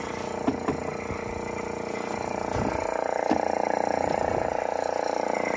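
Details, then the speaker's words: Nissan 300ZX Z31, key in Run, engine off after failed start: steady mid-pitched electric whir continuously from the front; unidentified small motor, owner guesses possibly an evap pump. "it is whatever's in this I don't know if this is some kind of evap pump but we'll have to do some more research and see what's going on here"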